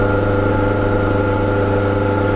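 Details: Warco drill press in a startup noise test; steady, even motor hum with constant pitch and no knocking, rattle or grinding; runs smooth and healthy.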